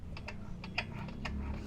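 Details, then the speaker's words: Mio Soul i 125 scooter with hard starting when hot; sharp light metal-on-metal ticks about four a second over low idle hum, seemingly near the tensioner not the magneto, before valve clearance adjustment; cause suspected, not confirmed. "ko yung tunog parang hindi naman sa Magneto nanggagaling parang dito sa may tensioner a kaya bakal sa bakal eh pagpabalik wala pero pag pa-forward aan"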